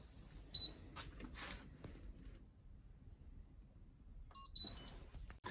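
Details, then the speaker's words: Hotpoint WMBF 742P washing machine: two short high beeps, then no clunk from the door interlock after start; interlock not engaging, found overheated with a melted plug. "I can't even hear it going clunk on the door interlock which is a sign that the door interlock maybe isn't working"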